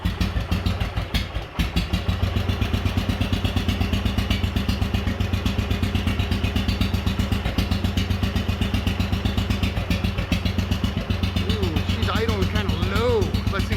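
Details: Wheel Horse 857 garden tractor single-cylinder, first start in two years on choke with new battery, cold, balance gears removed: slow, heavy thumping about four beats a second, slightly uneven; low rough idle from running rich.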